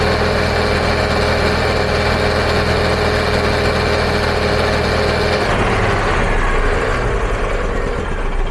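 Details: EZGO gas golf cart, stored long and running poorly: starts with even steady chug, settling to a slightly lower smooth beat; no misses, running fine.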